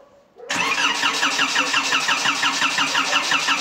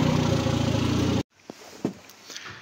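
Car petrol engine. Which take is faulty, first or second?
first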